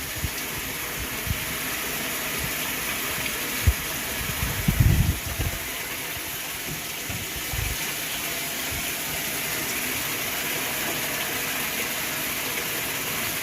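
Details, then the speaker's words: Whirlpool washer filling with cold water on a small load: steady, uninterrupted rushing hiss of water into the tub. Normal fill. "it ain't gonna go through its thing until pills up so let's just let it fill up"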